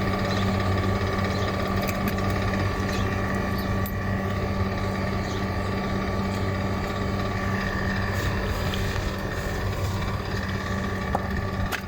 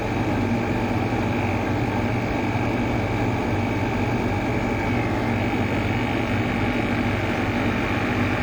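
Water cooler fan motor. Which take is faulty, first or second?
first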